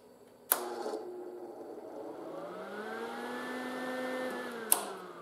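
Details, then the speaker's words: Lincoln 180C MIG welder cooling fan: switch click, then the fan whirs up with a hesitant start and bearing noise; it sounds rougher after sitting a month or two. The fan is replaced. "i don't know if you notice that little hesitancy at the start and gave a little bearing noise it's actually better than what sometimes it sounds like"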